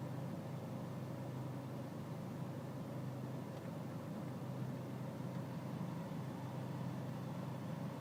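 Low, dull diesel idle with a slightly uneven, lumpy beat under a constant drone; rough idle, cause not evident.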